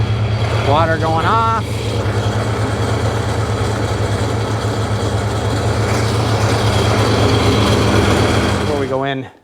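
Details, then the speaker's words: 2005 Sea-Doo 3D 787 two-stroke, previously submerged, running on hose water with a little oil in the bottom end: steady burble at fast even idle, smoky, no knocking or rattle from the bottom end; sounds healthy. "on little bit of oil in the bottom end it's Smoky no bottom end noise at all"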